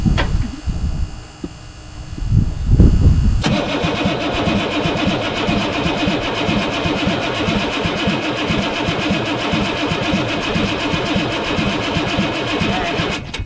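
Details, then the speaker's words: 1983 Chevy K20 with 6.2 diesel: about ten seconds of even cranking near three turns a second, no firing; fuel reaches the system with no leaks but no injection pressure, so failed injection pump or shutoff solenoid suspected, not confirmed. "okay so we got fuel on the system no leaks so it's either going to be whole new pump or maybe fuel pump shut off solenoid that's underneath here"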